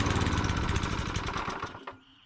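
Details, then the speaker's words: Single-cylinder Tecumseh engine on a Sears Eager One lawn mower after a knocking connecting rod was shimmed with beer-can metal: fires cleanly and evenly with no knock, then sputters and dies as fuel runs out with the gas shut off; normal running. "But as you see, I was successful putting in that beer can metal. No more knock. You gotta love that. And it rolls over easy."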